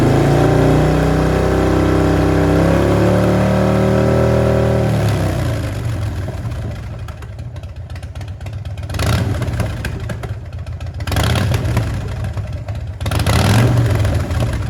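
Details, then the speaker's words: Uneven 2006 Harley Dyna Wide Glide V-twin idle stutters when the throttle is blipped, still missing now and then after a coil swap and running cool, with the front cylinder 30–40° hotter than the rear; an intermittent misfire. "And I can hear it missing every now and then, but it's better. When I give it throttle, you hear it trying to cut"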